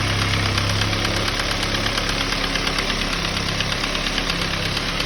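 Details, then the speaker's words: Ford Focus idling with a sharp knock-like rattle about three times a second, caused by loose pieces bouncing inside the intake manifold, not engine knock. "they're bouncing inside of your car inside this manifold right here I pulled this off the mountains to stop but that's the problem"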